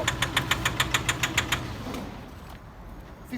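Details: Nissan Euro 5 pickup diesel at 53,585 miles: sharp, regular knock about three and a half per second over the idle, fading at shutdown; a worn big end bearing caused by leaking injectors diluting the oil with fuel.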